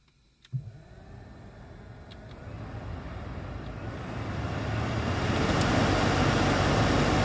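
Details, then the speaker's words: 2016 Honda CR-V climate blower after motor replacement for a failing-bearing whine: spins up smoothly to a steady rush of air with no whine or bearing growl. "completely different experience that bearing failing bearing sound is gone"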